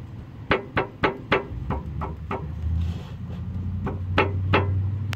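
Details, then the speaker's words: 2002 Mercury Marquis sway bar end link rocked by hand underneath: sharp hollow clunks, three or four a second, from play at its bottom, same on the other side. Owner suspects the end links wore out prematurely. "There's play at the bottom here of this end link, and I don't know what else it could fucking be."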